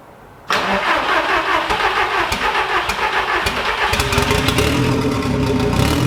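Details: VW Golf Mk1 4Motion AWD turbo project, engine running again: fires and settles into busy idle with sharp ticking puff over it; owner finds exhaust leaking at manifold-to-turbo gasket, suspects one of three bolts, re-tightens it.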